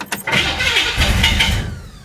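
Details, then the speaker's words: Flooded 1966 Chevy Impala after full fuel system replacement: cranking catches into a brief ragged burst of firing, then sags and dies without idling. "oh come on she's trying so hard there it is there it was she didn't idle though"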